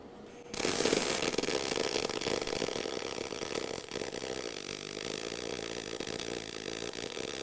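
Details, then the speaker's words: Eastwood mp250i multi-process welder, MIG mode with inductance turned all the way up: steady, softer crackling sizzle with little popping and substantially less spatter from more heat into the weld; normal MIG arc. "so you'd probably hear that difference was there less spatter with that or substantially less because there's more Heat going into that area is that because inductance is turned all the way up"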